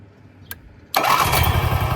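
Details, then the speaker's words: Onan 4000 KY generator whose choke plate was stuck open instead of closing at ignition (possible linkage rubbing). With the choke closed manually, a click, then it fires within half a second and holds a steady run. "Remove the air filter and confirmed the choke plate was stuck open. The choke plate is supposed to close at ignition."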